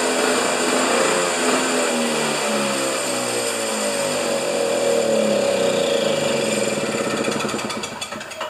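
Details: Husqvarna snow thrower during governor repair, covers off, primed: high buzz with pitch drifting down and back up, no throttle control; throttle not activated by governor, linkage jammed tight.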